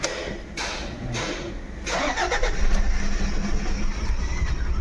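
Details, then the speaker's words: 2011 Toyota Fortuner diesel with engine misfire and pickup drop, DTC P0200 injector circuit open returning after clearing codes: cranks, catches, then uneven lumpy idle with irregular stumble; dead cylinder, injector number not shown. "गाड़ी हमारी machine कर ही रही है वापस से ड फड code करेंगे यहां पर इंजेक्टर सर्किट ओपन का फड कोड आ रहा है"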